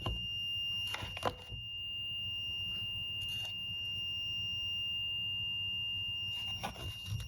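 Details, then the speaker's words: 1Plus S10 electric scooter charging about three hours, red charging light: steady thin high-pitched electronic whine from the charger, which is very hot to the touch. "and um I came down just now and I'm hearing this whining noise trailing out there"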